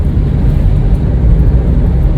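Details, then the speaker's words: 2011 Kia Rio 2 (JB) with a front suspension that squeaks over speed bumps in cold weather, checked after suspension work: rolling over a speed bump with only low road rumble and no squeak. "вот попробуем по переезжать через лизать их винтов вот на первом ничего не слышу скрип а нету"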